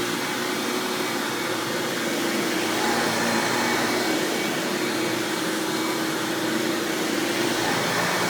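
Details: 1997 Hoover Dirt Finder Power Drive self-propelled upright vacuum, model U6331-930 (Elite style), running on floor: steady, even motor roar at constant pitch, no rattles, ticks or surging; exceptionally smooth, fairly quiet; normal running.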